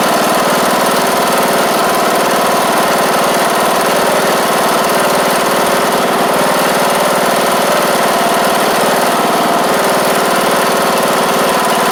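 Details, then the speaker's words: John Deere D110 riding mower after engine replacement and fuel pump reconnected: steady, even single-cylinder putter at constant speed, no knocks or misses; normal running. "Sounds good. That's great."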